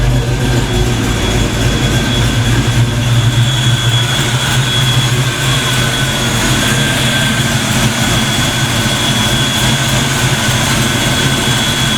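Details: Black Ford Mustang on first fire after fitting 24 lb injectors, a 73 mm mass air meter and shimmed rockers: loud, steady low rumble with a fast, even pulse and no knocks or misses while it warms up before throttle work; normal warm-up idle.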